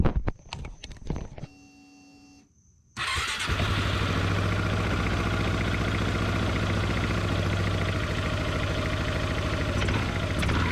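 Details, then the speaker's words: 2005 Yamaha Majesty 400cc scooter after new parts fitted and reassembled: engine catches and settles into a steady even run, no knocks, rattles or belt squeal; later yard ride showed no weird noises; normal running. "we'll just rode around the yard no issues no weird noises"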